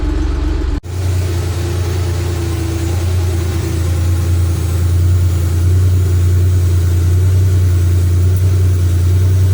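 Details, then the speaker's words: 1983 Porsche 911 SC, 3.0 L normally aspirated air-cooled flat six, sat for months, fresh fuel, fired right up and run to operating temperature: smooth, deep, even idle with no knocks or ticks; normal warm idle. "They're low on gas, but fired right up."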